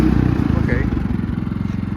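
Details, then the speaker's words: Predator 3500 generator, about 215–230 hours, running again after it ran out of gas following 11 hours of running and the owner feared a locked piston; steady, even low thrum with no knocks or misses, green light on, running normally. "anyway I'm gonna start it up just to show you that it runs and then I'm going to shut it off and talk some more"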